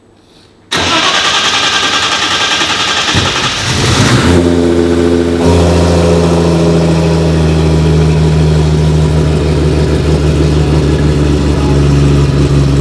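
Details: R32 GT-R race car, 3.4L Nissan RB engine on MoTeC ECU, first-ever start after build: brief cranking then catches and settles into a steady, even idle with no stumble or misfire; big rear mufflers keep it quiet; normal start and idle.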